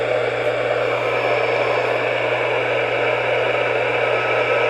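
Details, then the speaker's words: Realistic Weatheradio Alert III Model 12-140 in weather mode: steady hiss with a low mains hum, no voice or tone. Dead air at every switch position, some positions noisier. It never worked and gets nothing upstairs or in the basement. "like dead air now I'll move the switch and I could find it any position it's just dead air there's seemingly more interference on certain things and others"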